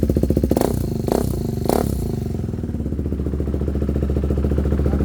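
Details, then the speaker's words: Motorcycle cold start after sitting unused, jump-started from a weak battery: a few quick throttle blips, then settles into a steady, even idle pulse, left running to charge the battery; runs normally. "നമുക്കിനി jumper ഒഴിവാക്കാംട്ടോ വണ്ടി start ആയി ഇനി കുറച്ചു നേരം ഒന്ന് starting തന്നെ ഇരിക്കട്ടെ"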